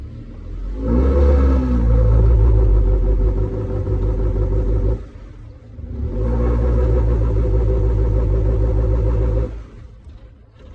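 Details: Nissan Altima after replacing the intake hose and resetting the computer: two throttle stabs, each flattening into a held drone instead of climbing, then dropping back; the engine still won't rev above 2000 rpm.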